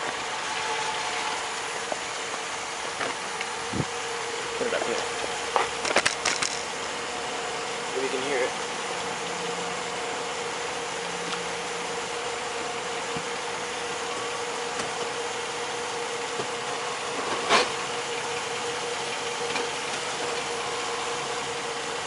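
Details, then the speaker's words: 2005 Jeep Grand Cherokee 4x4 with Quadra-Drive II at idle: short burst of sharp clunks and creaks only when shifted into Drive, cause undiagnosed. "Alright guys, this is the clunking I'm having. Only when I shift to drive."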